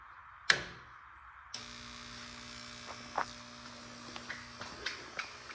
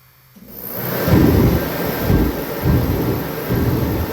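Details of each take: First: Kerosene/diesel torpedo heater running on diesel, after fuel line replacement: a few clicks, then the burner lights with a rising whoosh and settles into a steady, even roar; running normally. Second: Kerosene or diesel torpedo heater, about 6 years old, used about 10 times and stored a couple of years: deep burner roar swelling and fading about every 0.8 seconds with smoke; surging from an air leak through cracked fuel hoses.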